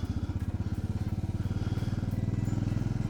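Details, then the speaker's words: Royal Enfield Bullet 500 after a new starter and relay, on a test ride: deep even single-cylinder thump about twelve beats a second, no knock or rattle, running fine; rider notes more vibration than a Himalayan. "running sounded pretty pretty I don't really have any issue it sounds like right now"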